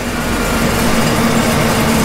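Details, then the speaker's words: 383 small-block Chevy with Holley EFI after lowering throttle stop screw so IAC controls idle: steady even hum, smooth low drone, no misses or surging, idling near 810 rpm target; normal idle. "you can see now that the engine is idling around the target idle speed"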